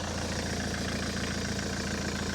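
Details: Ford S-Max 2.0 TDCi diesel, 2010, about 80,000 miles, idling after a fuel filter change and priming: an even steady diesel clatter without stumbling or cutting out, with no leaks. Normal idle.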